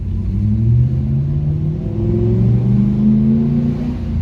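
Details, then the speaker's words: Nissan D22 Navara V8 ute, road-tested through town after repairing a misfire and occasional stalling that began after a clutch replacement: deep rumble revving cleanly through the gears, no misfire or knock. "Oh, it sounds good though, eh?"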